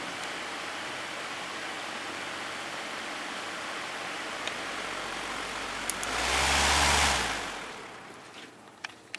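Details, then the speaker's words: Lakewood HV-14C fan, probably early 2000s, after motor cleaning and oiling, on low speed: soft even airy hiss, no rattle, tick or hum; nice and quiet, running normally. "nice and quiet down low"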